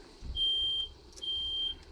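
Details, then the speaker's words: 1988 Dodge B250 Roadtrek van with a 318 TBI, after fuel injector and temperature sensor replacement; shrill half-second beeps repeat steadily as the garage smoke alarm is set off by exhaust fumes, not fire; smoke alarm triggered by exhaust fumes. "smoke alarm going off in the garage not on fire i got the exhaust i'm outside the garage with the doors open smoke detectors obviously work"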